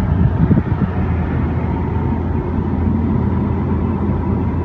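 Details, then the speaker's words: Car at 40 mph with a bungee cord wrapped four times around the front roof rack crossbar; steady low road and wind rumble with no whistle; the crossbar wind noise is gone. "and as you can see there it is very quiet"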